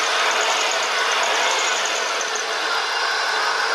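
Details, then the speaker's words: Dodge Caravan 3.0 idling after hydraulic lifter replacement, heard from the side: smooth, even hum with only slight belt squeak and no lifter singing or ticking. Top end is quiet and healthy. "If you go on this side, you can hear it. I hear no lifters singing or ticking. That is great."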